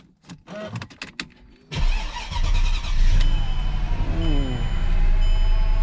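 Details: Totaled 2006 Mercedes-Benz E500 4matic wagon with heavy front-end damage, coolant low: a few clicks, brief crank, then fires promptly into a steady, even idle; healthy start.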